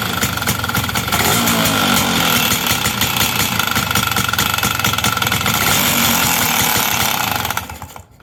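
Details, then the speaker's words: Two-stroke engine's first start after fixing air leaks found by pressure testing: loud raspy buzz with uneven, slightly rough pulses for seven seconds, then shut off; rough running, owner suspects ignition timing is far too advanced. "okay pretty good first start sounds like uh my guess is timing is going to be way way advanced but uh we'll see"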